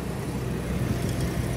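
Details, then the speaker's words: 1994 Toyota 4Runner 3.0 V6 slow to start, then a low, uneven, slightly unsteady rumble just after starting; suspected vacuum leak at the PCV, which is to be replaced. "see there's something on it that uh it doesn't let it"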